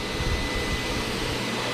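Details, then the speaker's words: Miele SES 100 vacuum after repairing the electric hose's failed on/off power switch (soldered), switched on at the circle button: steady, even suction-motor roar and smooth airflow hiss, no rattles or surging; power head back in operation, repair successful. "You can hear it. Working well. We have a successful repair. Now we got the power head back in operation."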